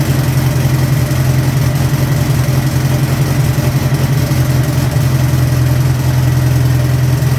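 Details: Turbo air-cooled VW engine on the dyno, just after a hard start: steady low drone with even firing and a constant turbo hiss over it; running smoothly.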